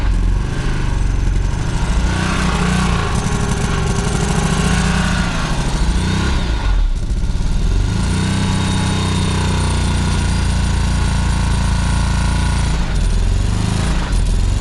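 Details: Subaru Legacy 2.5 with blown engine: heavy deep hammering diesel-like knock through the whole run, rising with revs; badly knocking engine, cause not stated.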